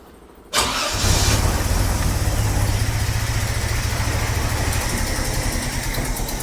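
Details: 45-year-old 2.8-litre Vauxhall Royale coupe, newly refitted Weber carburettor, idle mixture screws just opened half a turn for more fuel: catches into lumpy, uneven low idle with loping beat; rough running from carburettor mixture setting.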